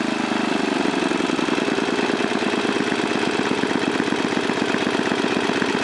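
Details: 1978 John Deere Tecumseh HM80 8 hp 318cc engine, formerly on a John Deere 826 snowblower: steady, even single-cylinder beat at constant speed with no misses, knocks or surging; runs smooth and strong, typically starts on one pull, normal running.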